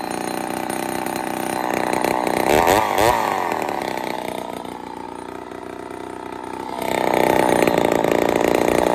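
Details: Ported Poulan 245A chainsaw with bow bar on first start: raspy engine climbing to a high, slightly screaming rev and sagging back unevenly, starving a touch; a little lean at idle/low jet, needs carb tuning.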